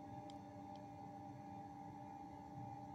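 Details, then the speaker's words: Ruris submersible well pump, reinstalled about 50 cm above the well bottom after cleaning the turbine: faint steady hum, constant tone, no grinding or knocking; pump runs normally and delivers water to the hose. "cum se aude, pompa funcționează."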